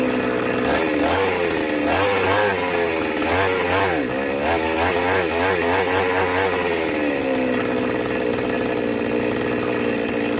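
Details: New Magnum G11 chainsaw straight from the box: revs rise unevenly, stumble and sag instead of climbing, then settle back, bogging and stalling on acceleration; re-tuning the carburettor didn't help, restrictor fitted at the carburettor.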